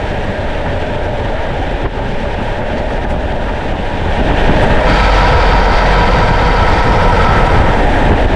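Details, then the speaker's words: 2015 Chevy Silverado with 6L80 automatic, camera under truck aimed at driveshaft, driving on road and highway: steady road drone with low rhythmic shudder about four beats a second building under load; transmission shudder, transmission failing. "uh if you hear that noise that means that you need to stop driving that truck it's not going to last much longer that's what they do right before they uh stop pulling"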